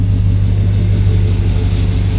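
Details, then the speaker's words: Suburban on original 1999 spark plugs: deep even engine rumble builds and holds with no surging or stumble, previously lunging; service engine soon light still on, good oil pressure. "Still have the service engine soon light, but it's not surging."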